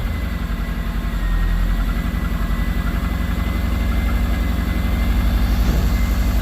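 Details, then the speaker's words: Subaru 2.5RS engine after rebuild and reinstall, first start in garage, possible smoke from oil in it: engine catches and settles, then a couple of small revs with a clean rising pulse, no knocking or ticking; runs sweetly, normal. "oh it sounds beautiful it honestly does it sounds so good"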